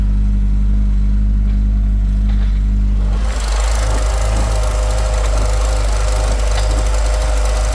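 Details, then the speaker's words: Volvo B230 redblock engine run with no oil pressure, already knocking badly for about 10 minutes, restarted: heavy uneven low knocking under a rough run with heavy exhaust smoke, then it collapses as the engine stalls; oil-starvation knock before stall. "oh [ __ ] we got smoke coming out the exhaust like crazy"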